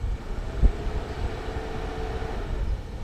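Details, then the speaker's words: Mercedes SL500 R129 with engine idling, low-speed relay reinserted and a slightly melted 15 A fuse fitted: a click, then a soft steady whir comes in over the idle and holds even; the low-speed cooling fan runs normally, fuse to be replaced. "Fan comes on. If you listen to it, if you look at it, now this is low speed fan."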